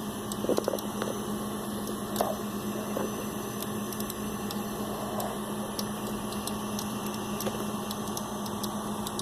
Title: Computer Clicking Sound Noise (what is it?)